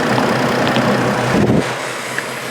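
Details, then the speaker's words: 2004 Chevrolet Trailblazer, engine visibly rocking: rough, lumpy idle with uneven stumble, misfire at idle; cause not yet found, owner thinks it's probably not the fairly new NGK iridium spark plugs. "so it's got a miss and before I do any troubleshooting why don't you go down and the comment section while you master mechanics and let me know what you think it is"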